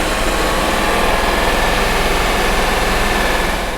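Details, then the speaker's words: Bentley Arnage T petrol V8, restarted after about two years sitting in desert sun and earlier misfiring, now idles steadily with an even low pulse and no misfire stumbles or knocks. The misfire appears cleared. "so I don't want to get too excited but uh yeah no it seems good"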